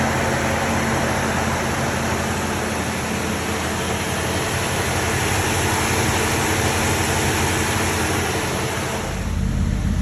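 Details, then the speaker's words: 1968 Dodge Monaco 500, numbers-matching 440 Magnum V8, rebuilt engine running for first time since 1986 after barn storage: steady, even low rumble with no knocks or ticks; sounds healthy. "um but we managed to get this 1968 dodge monaco 500 running for the first time since 1986."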